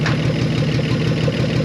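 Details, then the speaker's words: 1968 Chevy Biscayne barn find, 47,000 miles, sat 35 years, not yet warm: uneven, loping idle with a raspy puffing edge on each pulse; rough idle needing tune-up parts, possible exhaust leak suspected until it warms up. "obviously she she dances a little bit but it needs tuna parts we we know that overall it sounds like it's maybe you got an exhaust leak until it warms up"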